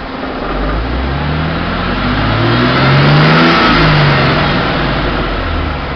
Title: Engine knock